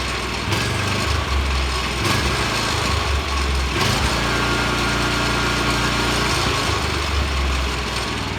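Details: Vanguard 9 hp single-cylinder tractor engine, final run after freeing sticking throttle lever with WD-40, one-pull start: steady putter with fairly even beat and slight vibration, holds speed cleanly; runs normally.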